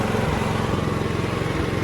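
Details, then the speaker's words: Mitsubishi MGE 4000 generator after a carburetor cleaning and fresh gasoline following years of sitting: with auto idle on, a steady, even drone with no sputter or surging, putting out about 100 V. Normal running. "With the auto idle on, it runs fine now. It's not sputtering out anymore."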